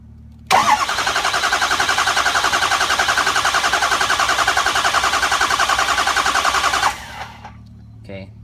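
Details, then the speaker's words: 6.0 Powerstroke diesel after a head gasket install with the cab on, cranking: cranking is even at about three or four pulses per second with no catches. It is a smooth crank, showing the valves are seated correctly. "that's a nice smooth crank so you know everything is working perfect on the valves you you got everything seated right"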